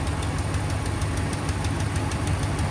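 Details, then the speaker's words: 2016 Ram 1500 5.7 Hemi, cold idle after sitting overnight: fast sharp ticking about six per second, exhaust spitting from the suspected passenger-side manifold; quiets once warm, possibly aftermarket manifold; manifold gasket leak, cylinder-head threads later found stripped. "Yeah, it's definitely going to be a manifold leak. You can kind of see it spitting it out right"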